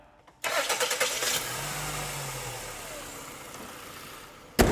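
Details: After replacing accessory drive belt and tensioner (A/C compressor, alternator, power steering pump, water pump): quick crank, clean catch into smooth, even idle, no belt chirp or squeal; belt drive sounds healthy.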